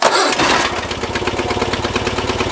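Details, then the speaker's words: John Deere 400 lawn tractor with intermittent no-start, sometimes only clicking; small single-cylinder engine catches and settles into a quick, even chugging beat with no stumbles after the repair attempt, though the fix is unconfirmed. "even though it didn't maybe fix it but it's starting it's running so we'll call it a success for today"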